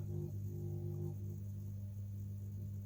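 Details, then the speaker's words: Street light lantern on an electronic driver: steady loud low hum with a few fixed tones, no wavering; starts spluttery, always been this noisy, nothing thought wrong. "I don't know why it's so noisy, it just is."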